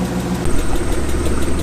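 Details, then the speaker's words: BMW E36 after slave cylinder replacement, warm idle before test drive: light regular ticking about eight per second, possibly top end or exhaust side; owner fears a lifter tick, cause unconfirmed. "right so before you taking it out there is one thing I've noticed that ticking away I'm really praying and hoping it's not lip you take"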